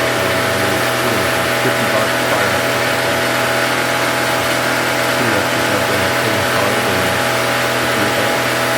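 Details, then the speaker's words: Honda EB1400X generator, 107cc 3HP engine rated 1400 W, $50 neglected barn find, started with a drill: steady, even single-cylinder buzz at constant speed, no knocks or misses; runs normally. "She runs. It doesn't This thing's crazy. I mean, this generator is working perfectly fine."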